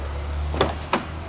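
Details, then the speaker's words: Mitsubishi Outlander after compressor replacement, line repair and recharge, running with AC on max and recirculation: low engine hum, then two sharp clicks as the compressor clutch engages normally. Gauge reads about 20 and needs a little more refrigerant. "Well, I hear the compressor cutting on. Feels like it's getting cold."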